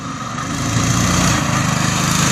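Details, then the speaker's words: Cyclekart #27 test drive after repair with new motor mount and rewelded rear frame, following hard racing: small single buzzes evenly and picks up smoothly pulling away, no knocks, rattles or misfires; normal running. "far so good sounds good looks good"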